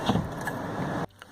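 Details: 2013 Dodge Grand Caravan SXT Flex Fuel, sliding door reassembly during lock actuator replacement: smooth steady motor hum for about a second, stopping cleanly with no grinding or binding; normal power window operation.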